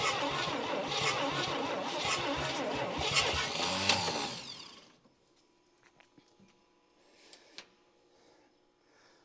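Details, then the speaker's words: 1959 Chevy Biscayne 6-cylinder, once locked up after about 20 years stored, alternator belt off: slow, labored cranking at about four turns a second for some five seconds, then silence; it never catches. Owner blames the starter and plans to order a new one. "right guys I'm going to call it for now the starter is just fighting me every every turn here so I'm gonna order a brand new starter"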